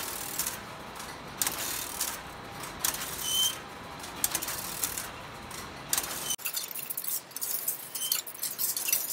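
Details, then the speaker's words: Telephone exchange line finder exercise test, running well after earlier stops were mostly fixed: rapid irregular relay clicks and ratcheting switch steps in busy bursts as switches pick up and step through; normal operation. "but it's running pretty well right now I've been messing with it a little bit it stopped a couple times I think I figured out most of the problem so let's just let it run and exercise"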